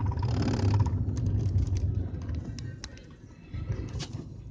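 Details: BMW 320d E46 accelerating in low gears up slight incline: low droning rumble with uneven beat, about three to four per second, under load, fading as throttle eases; source unidentified.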